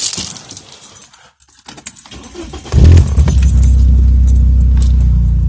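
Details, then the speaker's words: BMW E36 after restoring lost engine vacuum: brief quiet, then engine fires and settles into a steady, even, smooth idle with no hiss or hunting; problem solved. "Running nice and smooth now, because the vacuum's back in the system."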